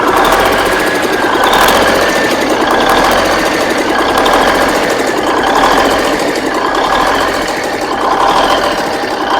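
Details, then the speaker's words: Big Cam Cummins NTC 365 diesel after rebuild, steady clattering idle with slight slow rise and fall; runs good, mild surge possibly idle adjustment or vacuum leaks (boost reference line off, turbo pipe loose). "I mean, the thing runs good, runs every bit as good as candy. It's got a little surge to it."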